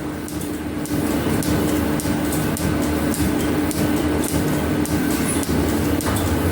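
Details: Metal planer on its first test runs with newly fitted overhead flat belts and fast-and-loose pulleys, Newton Tesla drive set around 400: steady rumble, light even slap about once a second, faint constant hum; running normally.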